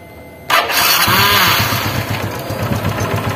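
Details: Honda Revo Absolute (Revo Fi) after replacing the clattering cam chain and tensioner roller, with parts oiled before assembly: it cranks and catches at once into a quick, even, clean idle with no chain slap or ticking, sounding healthy.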